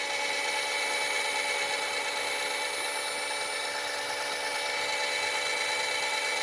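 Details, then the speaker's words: Suzuki Multicab alternator, spun after replacing its cracked noisy bearing and greasing the outer bearing, reassembled with even, not over-tight clamping. Smooth, even high whir with no grinding or rumble; the noise is gone and the bearing is healthy. "wala na siyang ingay no So okay yung ginawa natin nawala yung ingay niya"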